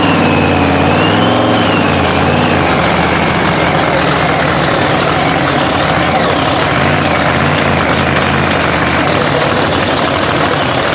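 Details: Blown 3,500 HP Hemi drag truck, rebuilt overnight after a 3-second pass, restarted and fired right away. Very loud, lumpy, choppy idle with steady heavy beat and blower whine; oil pressure reported coming up; running fine.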